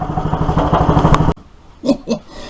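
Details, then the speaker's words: Clarke PW50 water pump single-cylinder petrol engine after carburetor refit, crankcase had been full of petrol: quick, even firing with no knocks or rattles before shutting off; bearings feared shot but engine sounds healthy. "I was very worried that with the amount of petrol that was in the crank case um the bearings would be shot the main bearings but that engine sounded sweet"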